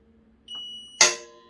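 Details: Cristófoli autoclave after repair, valve formerly switching on at power-up: short clean control-panel beep, then sharp click with ringing as the valve energizes on command; valve circuit working normally.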